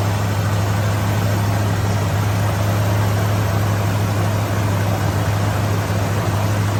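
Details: 1965 Ford Mustang at idle: steady low engine idle with a loose, uneven pulse and no sharp knocks; rough idle, owner suspects a vacuum leak.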